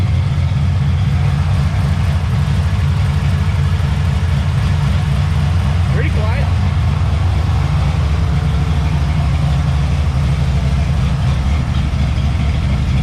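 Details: 1991 Chevy S10 with small-block V8 swap at idle after fixing the shorty headers and refitting the exhaust: deep, even rumble with no ticking or puffing from the headers, so the exhaust is sealed.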